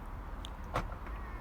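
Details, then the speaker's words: 2016-2019 Volkswagen after key fob CR2032 battery replacement, remote lock/unlock pressed; brief soft motor whir and light clunk as electric mirrors fold in and out; normal power mirror operation. "fantastic or working well you can hear those electric mirrors moving in and out every time we press it"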